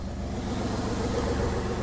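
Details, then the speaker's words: 2002 Ford Escape XLT 3.0 V6 at idle, mic underneath: fast raspy puffing tick with firing pulses; exhaust leak persists after replacing sheared manifold studs, suspected behind rear manifold/converter heat shield or at front header joint. "so fire it up here and that noise really seems to be coming I'm right under here not sure if it's a uh exhaust leak at the dut where"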